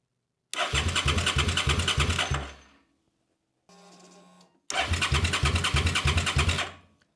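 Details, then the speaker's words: Old motorcycle unused for years: two bursts of even cranking, about three beats a second, a short pump hum between, and it never catches; a faulty tip-over sensor cuts ignition depending on its angle. "so what I'm doing right now is I'm turning around that swivel and see if I find a position where it actually wants to fire"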